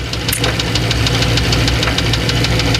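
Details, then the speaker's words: 1994 Chevrolet Astro van at idle: rough idle with sharp tapping about three per second. Oil pressure is around 40 but seems to fluctuate; owner suspects a clunk from the balance shaft and plans to replace the oil pressure sender. "Now, there's a clunking inside the engine that I think may be the balance shaft. And that noise you hear could be a tapping."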